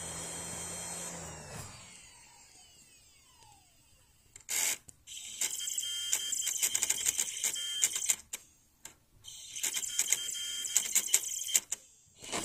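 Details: Kyushu Matsushita UJDA150L laptop CD-ROM drive (September 1998, Micron TransPort Trek 2): rapid dry chattering bursts lasting a few seconds with short pauses, loud and printer-like; drive mechanism fault, cause unknown.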